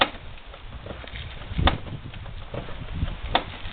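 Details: Fully loaded Yamaha Venture touring bike after landing hard off a buckled-pavement highway bump, rocked back and forth in the garage: a few dull, uneven thumps, loose clunk somewhere in the rear drivetrain; owner suspects driveline damage, cause not yet found.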